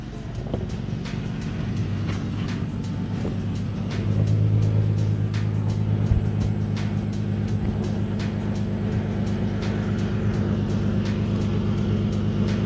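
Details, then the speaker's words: Car on jack stands, idling after install of two new eBay test pipes and Y-pipe, mic under the car: steady low hum with faint uneven ticking puffs; exhaust leak traced to one side, at the test pipes, beginning or end undecided. "Well, one thing I know for sure at this point is that it's coming from this side, it's not coming from that side."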